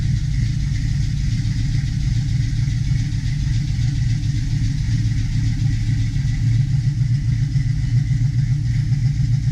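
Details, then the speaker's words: 1972 Chevy Nova SS V8 with FiTech fuel injection after an oil change and new plugs: deep, even lumpy rumble at a steady cold idle of about 950 rpm with no knocks or ticks; normal cold idle. "all right as you can see there we're cold idle right around 950 give"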